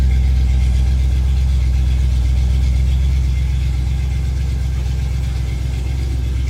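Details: 1987 Chrysler Fifth Avenue, not run for about 6 months, just started cold in January on choke: deep, steady idle with an even low thump about four beats a second, no misses or knocks. Normal cold idle.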